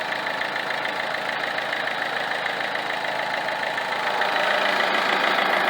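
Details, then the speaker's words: Peugeot 307 2.0 HDi 110 hp at idle, heard near the alternator: constant rough rubbing whirr with vibration at a different rhythm from the engine, lessening when pressed; worn Bosch alternator decoupler pulley found. "donc j'ai senti des vibrations anormales au niveau de l'alternateur autre que les avec un autre rythme que les vibrations provenant du moteur"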